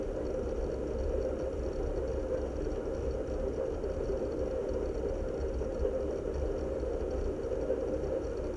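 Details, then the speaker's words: NAS hard drives under heavy load from benchmark and data-consistency checks, system drawing over 58 watts: steady low whirring hum with a busy fluttering texture from several drives seeking; clearly audible, normal hard drive seek noise. "but it was really the noise of these mg drives being constantly hit by the barrage of Benchmark and data consistency checks that we saw happening where the drives were really Audible"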